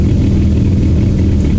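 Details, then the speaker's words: Warm idle of a Porsche 997 GT3 RS 3.8 with Mezger engine: a steady low thrum over a light rattle from the clutch release bearing and gearbox, which grows louder as the engine and car warm up. Normal. "ce qui est propre à ces bruits de buter et transmission c'est d'augmenter avec la température moteur la température de la voiture là on l'entend vraiment beaucoup"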